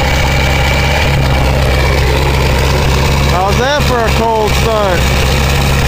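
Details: 2000 Ford 7.3 Powerstroke diesel cold start in 7°F Wisconsin weather (about 10 above said): low, even clatter with no hunting or lope, short chirp midway, white smoke; normal cold idle.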